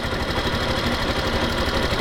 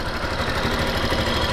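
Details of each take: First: Yamaha Factor 2022 motorcycle, about 55,375 km, after valve clearance adjustment (intake set to 10); even steady idle with no ticking, noise much improved. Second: Factor 2022 motorcycle, 55,000 km, valves never adjusted: steady single-cylinder idle with light quick ticking, worse when revved, plus a rattle suspected from cam chain; loose valve clearance, tappets need adjusting.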